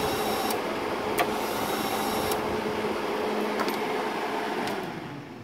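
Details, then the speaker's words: Hobart 135 MIG welder wire feed motor, which used to slow and stop after a few seconds, now running at an even, steady buzzing whir with the PTC thermistor bypassed, confirming the thermistor as the fault. "you could hear that bypassing that thermistor basically takes care of the issue"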